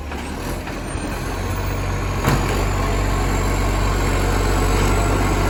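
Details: Moreland garbage truck #FN11487, a spare 22m flat-faced Acco-cab diesel with a massive exhaust leak, recorded from the exhaust side: very loud, deep, rough roar with a raspy chuffing edge at steady revs.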